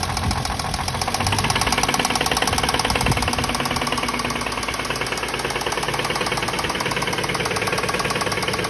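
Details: Toyota Mark II engine at idle with a rapid, steady mechanical knock at about four per second from inside the engine; cause not stated.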